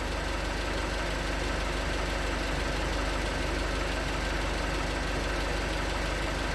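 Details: 2019 Hyundai Tucson 2.0L GDI Nu, 24,000 miles, on Mobil1 5W-20 with a NAPA filter under 1,500 miles old: rapid, regular light knocking, about three per second, at cold idle. Owner suspects piston slap; switching to 5W-30 only slightly improved it.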